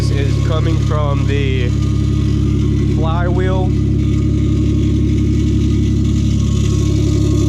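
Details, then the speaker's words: Lexus GS300 after rod-knock repair (new ACL race rod bearings, number three had spun, new starter, plugs, fluids): steady idle with no deep knock but a light metallic scrape; owner thinks the flywheel is scraping against the block. "no more knocking but it is scraping metal a little bit"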